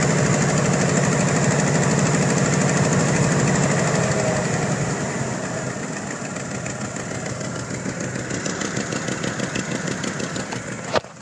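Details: 1992 Ford Bronco V8 idling after fitting Edelbrock Performer 3881: fast steady tick about 210 a minute, fading as engine settles; owner suspects exhaust leak at shorty Summit Racing headers, unconfirmed.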